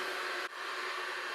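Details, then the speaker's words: Unic mini Wi-Fi pico projector running: steady loud airy whoosh with faint high tone, no rhythm; cooling fan blows very loudly, its main flaw. "surtout le premier défaut c'est surtout le bruit du du ventilateur ça souffle très fort"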